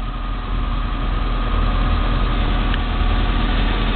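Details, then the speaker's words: Peugeot 1007 petrol engine with about 1000 L/h of HHO (hydrogen) gas fed into the intake manifold: smooth, even idle hum, with rpm raised by the hydrogen feed rather than the pedal; when cut, rpm drops and idle is briefly unstable. "Ponovo se uključuje ubacivanje vodonika. Auto dobija obrtaje zato što dobija mnogo više energije ubacivanjem vodonika."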